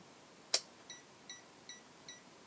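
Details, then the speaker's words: Borbede BD-99 multimeter with supplied bad battery: one sharp click then faint high beeps repeating about every 0.4 seconds after low-battery signal, meter warning its battery is dead; multimeter dead-battery beeping. "so it does give you that low battery signal before it dies but then when it dies it just beeps so it's saying hey i got a battery in here but just enough to tell you it's no good"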